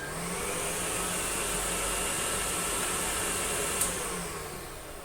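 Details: American Viking 507 Electronic vacuum cleaner, 120 V 60 Hz, on its minimum power setting: soft, even motor rush with a faint high whine, no surging or rattle; healthy motor at low speed.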